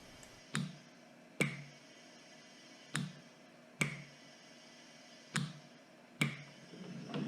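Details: Ambu-bag emergency ventilator prototype, solenoid valves set to about 4 psi: sharp clicks in pairs about every two and a half seconds with a faint air puff; pressure starts at four, equalizes around 1–1.5, extra vented; cycling properly.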